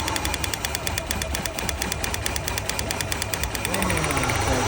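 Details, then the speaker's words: Idling petrol car engine with an uneven, stumbling beat, about three dull pulses a second; unplugging cylinder one brought no change, identifying it as the dead cylinder with a dead spark plug. "See how the engine's on or the engine doesn't change any worse? That's how you know that's the dead. Oh, there we go. So, it's a dead plug"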